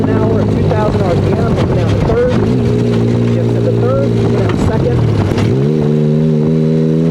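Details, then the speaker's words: High-boost Mitsubishi Mirage 1.2L 3A92 on its first test drive with a newly fitted Toyota Celica C60 transmission. In second gear the engine pulls cleanly with a steady rising tone and no gearbox whine, grind or clunk: normal operation. "you can hear it's so nice second"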